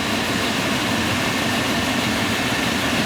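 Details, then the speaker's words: Field power venter reported by owner as noisy, bearings likely never oiled: even, steady rush of fan air with no rattle, scrape or wobble; running smooth, judged fine; screws to be added since it can sometimes vibrate. "nothing wrong with that thing that thing's running fine it's running smooth not vibrating or anything hear it I do it's fine"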